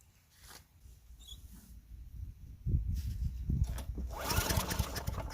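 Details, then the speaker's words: Craftsman Eager 1 4hp chipper vac (987.799790), vacuuming long wet grass with bag fitted: small petrol engine picks up to steady even run with debris rushing through intake. Normal running. "Alright guys, so that was my little demo. Looked like it sucked up. The grass is a little bit long and it is wet out here. So it is working."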